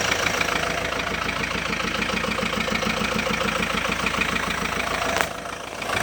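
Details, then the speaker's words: Kia Sorento 2.5 diesel at idle: steady idle with a regular knock about three times a second that disappears when throttle is pressed and returns on release; owner suspects a hydraulic lifter or valve, unconfirmed, started after hard full-throttle acceleration. "Оп, отпускаешь, стучит. Как гидрик или клапан, хрен его знает."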